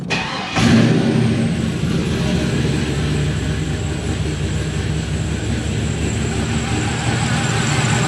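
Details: 1996 Impala SS with 5.7 LS swap, after new idle air control valve and tune: cranks, fires and settles into a low steady idle with choppy cam lope; idles normally, A/C relay suspected, not clicking.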